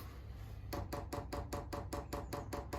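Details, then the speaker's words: Chinese diesel air heater being installed in a Ford Transit Jumbo camper, priming mode with the fuel line and filter being filled: quiet background, then a crisp, even run of ticks about five per second as the dosing pump primes normally. "And now you'll hear the pump start ticking, and that should be priming and pulling the full fuel through."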